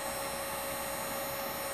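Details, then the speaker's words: Lead-acid battery on a DIY desulfating/equalizing charger at 12 V equalization voltage: steady thin high-pitched whine from inside the battery, acoustic vibration breaking down sulfate crystals; normal desulfation. "the sound is coming from the battery it's the battery making that sound so that acoustic vibration is inside the battery breaking down those crystals for you"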